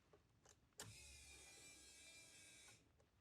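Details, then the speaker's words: 1988 Ford Escort, refurbished Bosch K-Jetronic metering head just refitted after long lay-up, fresh fuel, key-on prime without cranking, checking for leaks: click then thin even whir about two seconds, stops cleanly. Normal fuel pump priming. "Just like prime it a couple of times without cranking it. >> Okay. >> Should check for any leaks. Yep, go on, do it again."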